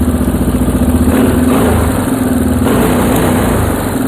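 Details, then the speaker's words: Restored Yamaha Moto 4 ATV, single-cylinder, during carburetor mixture screw adjustment in half turns: steady, even putter at idle with no misses or stumbles; running clean at this setting. "That's pretty prime, actually. It's pretty good. No miss there."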